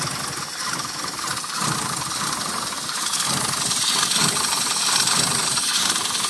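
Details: Rover Mini SPi at idle: uneven, sputtering idle with irregular hissy chuffs and no steady beat, died when revved; not drivable until the faulty crankshaft position sensor was replaced.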